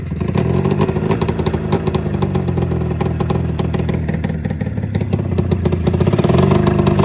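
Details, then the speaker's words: 27-year-old two-stroke snowmobile (Mountain Cat) after coil replacement, running on one cylinder: uneven lumpy clatter surging and sagging under throttle; owner suspects fuel delivery or float issue, spark and fuel pump checked. "you see that one that one seems like it's running but this one on the other hand just seems like it's freaking just it's got a"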